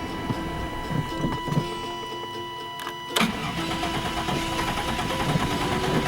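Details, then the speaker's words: 1998 Chevy Vortec V8 not run in 10 years, about 4 gallons of fuel added: starter spins it in uneven bursts but it never catches; filters were dry, so fuel hasn't reached the engine yet. Crank, no start. "might take a little while to get fuel to it because it didn't have fuel in the filters and it didn't have fuel in the uh up the fuel on reason why I started"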